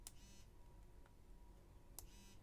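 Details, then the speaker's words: iPhone SE with the older iPhone 5/5s-type vibration motor: two short, sharp clicks, each followed by a brief low buzz, louder than later haptic engines; normal operation. "so up until this point the vibration Motors were really loud on phones so if I take this iPhone SE for example which has the iPhone 5 and 5s vibration listen to the sound that this"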